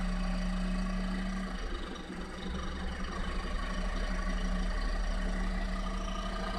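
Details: Nissan Clipper U71V engine, abnormal-noise repair: steady, even idle hum with a constant low note and no knocks or ticks standing out; engine seems to idle smoothly.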